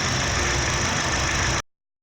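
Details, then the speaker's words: 2008 Honda Fit 1.5 after a post-purchase service including spark plugs: steady, even idle hum with no misses, stumbles or shake; engine running smoothly. "beleza pessoal olha só tal função na redondinha sem falhas sem trepidação do motor"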